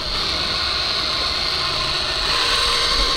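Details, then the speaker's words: Race car 440/Hemi V8 that sat over winter, oil pump spun by drill to prime before start, lightweight oil: steady high-pitched drill whine under constant load while priming. "now i use lightweight oil it does it's not too bad but but you'll hear it there it goes there it goes"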